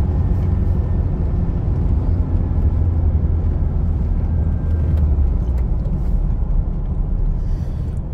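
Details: Toyota Hilux 2.5 at 80 km/h after repair: an even, low road rumble with no rising hum or whirr. It previously made a loud bearing noise at 80 km/h; the drivetrain now runs smooth.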